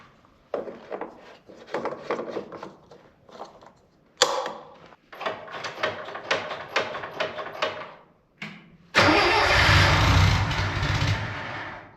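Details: Budget Bobcat skid loader, about a year into ownership, using no oil and about a tank of fuel in roughly 17 hours: several bursts of cranking, then it catches and holds an even, steady idle with no knocks or misses. A normal start and idle.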